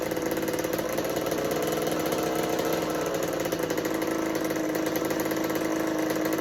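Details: 1986 Kawasaki KX125 two-stroke dirt bike after choke fix and petcock turned on, carb bowl full: engine buzzes unevenly at a fast, ragged idle with wavering pitch, won't settle; owner suspects lean running from insufficient fuel, pilot jet already large, considering needle position.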